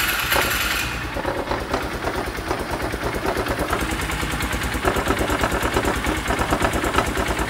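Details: Polaris Ranger side-by-side after drying out, air filter saturated; even, steady idle with regular firing pulses, no misses or stumbles, left idling to dry out and reach operating temperature; normal idle, running great.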